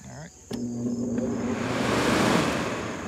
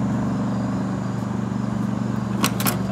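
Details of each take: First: Early-1970s Sears Coldspot Viewsaver window air conditioner: a thump as the compressor kicks on, then a steady even hum with the fan whooshing, settling smoothly; a normal, healthy compressor startup. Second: Early 1970s Sears Coldspot Viewsaver window air conditioner running, blowing cold with auto energy-saver fan speeds; rough pulsing drone from worn fan motor bearings.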